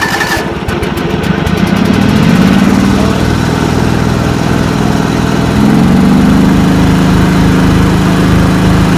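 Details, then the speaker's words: 1989 John Deere 285 with Kawasaki FD590V V-twin, warmed up, choke up: turns over, stumbles, then runs uneven and surging; fuel found on one plug, ignition coils and plug caps suspected; hard starting from weak ignition. "Now we'll do a start with the choke all the way up here, warmed up. So as you can see and hear, she needs some help."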